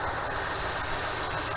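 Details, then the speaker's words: 2010 Ram Hemi V8 with P0305 code, after removing and refitting the injector fuel rail and priming: even, smooth idle with light quick ticking that is normal injector clicking; no stumble or miss. "the engine sounds really nice and smooth right any clicking you here is just the injectors"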